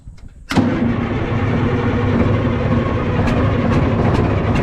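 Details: Cat 977K track loader diesel, with a small exhaust leak, after cleaning the fuel filter and priming: catches abruptly, settles into a deep, steady, even idle; normal start and idle.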